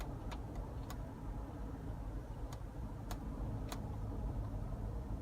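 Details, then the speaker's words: GMC Envoy at about 40 mph in left turns: a low, steady growl under the road rumble, absent in right turns. Worn front wheel hub bearing under cornering load, even though the wheel does not rock. "you guys can hear it right it sounds like a little growling noise this is an indication every time you turn the wheel the opposite way and the vehicle a lot of weight goes on one side it indicates the bad wheel bearing"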